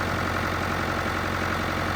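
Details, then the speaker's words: Rescued Ford 5000 diesel row-crop tractor, first start after sitting: even idle clatter with a steady rhythm and no heavy knock; a light on that is possibly low oil pressure, oil present; sounds pretty good. "I don't know sounds pretty good"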